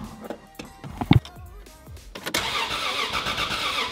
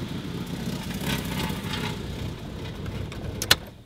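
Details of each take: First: Supra 2JZ-GTE VVTi swapped into a Volvo 940, automatic in park, first start attempt: quick steady cranking about four beats a second for several seconds, never catching; some wiring turned out to be wired wrong. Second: Volvo 940 with a swapped Toyota 2JZ-GTE VVTi, first start after fixing the wiring and the missing 12-volt spark supply: brief cranking, then a clean catch and a steady, even idle with no misses or knocks.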